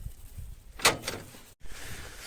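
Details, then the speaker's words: Renault Arkana manual gearbox: a brief, sharp squeak as fifth gear is selected, from the dry gear selector under the boot on the gearbox; also squeaked in third; fixed by spraying silicone lubricant after removing air filter housing and intake pipe. "Вот он, слышали, скрипит. Вот пятая сейчас я нажал на нее именно в опущенном состоянии."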